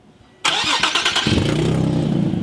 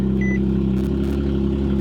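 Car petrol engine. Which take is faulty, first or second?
first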